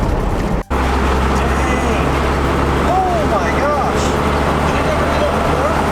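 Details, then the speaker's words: Cummins diesel pickup, driving on the road after timing-gear work: wavering whistle rising and falling with boost from one slightly loose clamp on a boost boot, a boost leak that sounds like twin turbos. "i was wondering i'm like what in the heck why is it whistling right over here there was one boot i remember this because it did this to me once in my dually"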